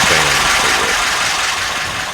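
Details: 1984 Porsche 944 first start after 20+ years of storage, after fuel pump change and refitting pin 86 in relay plug: short stretch of even idle with steady hum, no knocks or misses; normal idle.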